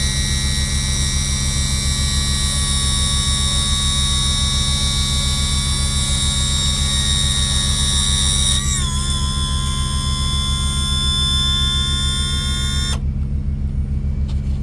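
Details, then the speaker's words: Yamaha F300 outboard after replacing leaking trim seals and refilling fluid: a steady electric trim pump whine with a firm low hum and no sputter once the air is bled out; sounds a lot better, normal operation. "Sounds a lot better already. and should be good to go."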